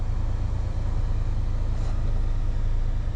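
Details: 1994 Honda Accord after a throttle body cleaning, which had been followed by a surging idle; it had been stalling randomly. Recorded from inside the car: a steady, even low idle hum with no hunting or surging. Now sounds good.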